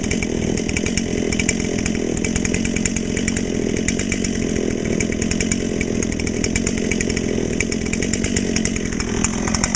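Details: Brand-new Dolmar PS-7910 chainsaw, full wrap, 28" Sugihara bar, LGX chain, factory carb settings, a little warm: strong, even high-rev scream pulling through the cut without bogging; sounds healthy.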